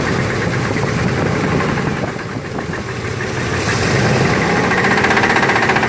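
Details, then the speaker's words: 1991 Chevy S-10 V6, just bought, idling: steady knocking about four per second keeping pace with engine; owner unsure whether flywheel or engine, source unknown. "it's my 91 chevy s-10 it has a v6 engine and i just bought it got steel on 300 for this has a knocking noise on"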